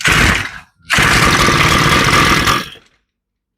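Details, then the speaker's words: Older, long-sitting Shindaiwa commercial two-stroke trimmer pulled after starter fluid (carburetor linkage had jumped): rough rasping pulls fading without firing. It is trying to kick, showing compression and good rings. "I tell you it feels like it's trying to start it's trying to kick"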